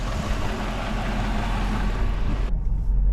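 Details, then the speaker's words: Jeep WJ idling on the street with brand-new gaskets burning in, smoking already stopped, power steering fluid low: a deep, steady rumble with no tapping or knocking, not sounding horrible; normal idle. "But yeah, it's kind of running. It really doesn't sound horrible."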